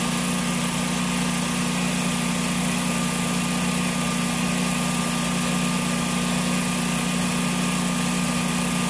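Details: Generac generator in snowy cold weather, after an RPM sense loss failure repair, terminals sprayed: smooth, constant drone at fixed speed with no misses, knocks or hunting; normal running.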